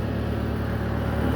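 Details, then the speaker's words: Bobcat skid steer loader diesel before repair, with code L7404 and a warning shown: steady low idle that has not yet cut out. It shuts itself off after 1–2 minutes from broken wires. "so here you can so just I came outside say automatically become off so just I once again I will start it so loader has started now I come outside you can see it will automatically will off and these headlights become lights up"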